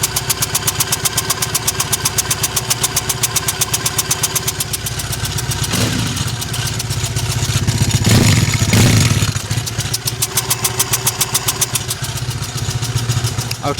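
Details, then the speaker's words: Triumph Bonneville twin, just restarted after owner's own repair and fresh oil: lumpy, uneven idle with brief rev blips falling back unevenly, one cylinder misfiring; owner suspects the right-side spark plug wasn't tightened, not confirmed. "right side spark plug not sounding good i'm hoping i'm thinking maybe i just didn't tighten it"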